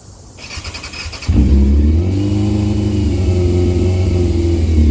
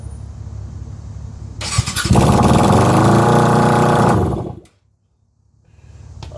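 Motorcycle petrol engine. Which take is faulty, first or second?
second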